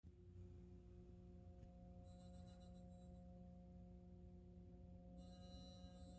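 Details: Burnham boiler giving off a constant low electrical buzz with several steady hum tones that never change pitch or level; cause undetermined.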